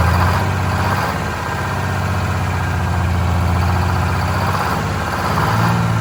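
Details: Vintage diesel bus in very cold weather, after fuel hose/line replacement, injector cleaner and fresh diesel added: heavy uneven surging idle rumble, rough running; air suspected entering the fuel system from a line upstream of the new hoses (prime issue).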